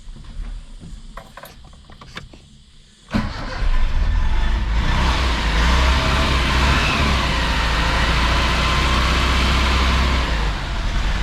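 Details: Barn-find 1983 Mitsubishi Sigma GJ, undriven 12 years and still on 12-year-old fuel: quiet at first, then catches and settles into a steady, even run with no knocks or misses; normal running.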